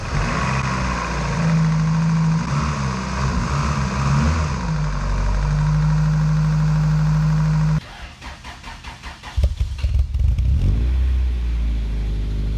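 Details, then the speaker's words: Integra GS-R with a rebuilt B18C5 Type R swap and headers, first start after a year, in neutral: engine cranks, catches quickly and settles into a steady, even idle with no knocks or ticks; sounds healthy. "yeah listen to that baby is sounding great Oh mad excited for this you guys mad excited"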